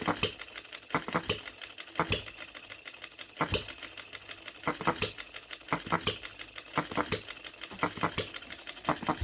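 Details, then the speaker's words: OKMO Retrol B02 miniature petrol hit-and-miss engine, first start out of the box with no adjustments, running on 25:1 shellite with Marvel Mystery Oil. Sharp pops come in irregular clusters with coasting gaps, with no shaking. Normal hit-and-miss running. "Listen to that hit and missing. I'm so pleased with this. Look at that running. It's not dancing around. It's not moving at all."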